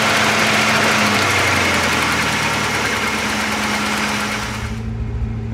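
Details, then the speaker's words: Porsche 928 V8 idling at 1500-1800 rpm: fast busy idle that drops when the throttle is blipped then rises again; high idle, throttle held open by badly adjusted cables or sticking throttle. "this is the classic High tick over if I just blip the throttle it'll come back down"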